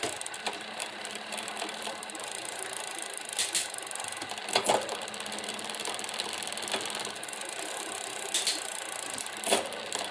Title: Tern Verge P20, post-cleaning rattling noise in derailleur